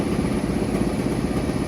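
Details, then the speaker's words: Carrier commercial rooftop unit, running after repair with belt pulleys realigned, now heating: steady heavy rumble with thin high constant whine/squeal; bad fan bearing, to be replaced. "sounds like [ __ ] for real looks like a bearing's bad in there so we're gonna write up for the bearing to be replaced but at least it's heating now"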